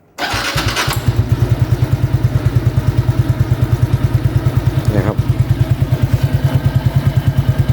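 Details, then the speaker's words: Motorcycle with an aftermarket two-piece exhaust after the loose pipe-neck joint was packed with a shim cut from a drink can; a steady single-cylinder idle with no more vibrating rattle at the joint, and the exhaust sounds tighter. Normal idle. "เบาก็จะยังไม่มีเสียงครับอ่าเสียงท่อแน่นขึ้นด้วยนะครับ"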